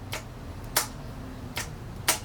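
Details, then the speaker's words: Abandoned 1990 Yamaha XV1100 Virago being revived: each press of the starter gives a sharp solenoid click with no cranking; the solenoid works but the starter won't turn; owner wonders if the engine is seized, cause not confirmed. "I just get the push and click no crank and you can definitely hear the solenoid doing its job but I get nothing so that's the problem we're trying to fix"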